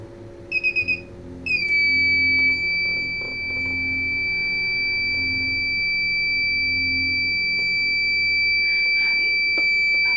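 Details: Kent RO water purifier after power-on: four quick high beeps, then a shrill tone held steady for over eight seconds; fault alarm, cause unknown.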